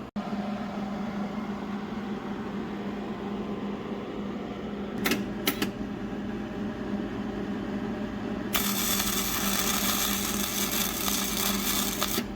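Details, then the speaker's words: New Hobart Handler 140 welder, flux-core wire, first test bead at voltage 2, wire feed 30: steady hum then loud hissing crackle once the arc strikes; harsh arc, judged too hot, on oxidized metal. "Ooh, that's hot. You can turn that way down."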